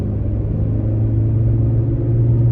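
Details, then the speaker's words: 2013 Ford Taurus on test drive after left front hub replaced: steady low hum around a hundred hertz building with speed, seeming to come from the front but 90% sure rear; wheel hub bearing howl. "when i'm running up to speed it sounds like it's in the front end it almost feels like it's in the front but i'm 90 sure it's in the back"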